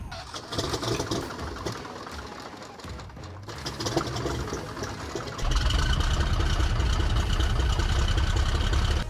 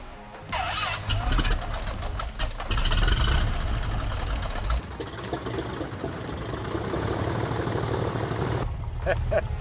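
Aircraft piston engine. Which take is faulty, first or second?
second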